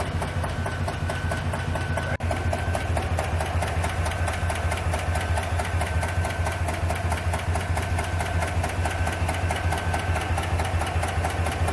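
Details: 2021 Tahoe/Yukon with engine malfunction lamp on and a misfire DTC: steady fast ticking, about two per second, over a slightly uneven idle, misfire with valvetrain tick, cause unconfirmed.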